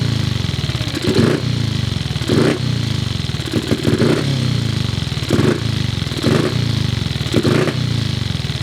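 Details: Paul Brodie's Cub single-cylinder won't hold idle: the thump surges and sags every second or so. The idle screw seems too short to raise the carburettor slide enough, and a spare screw is the same length. Cause still unclear.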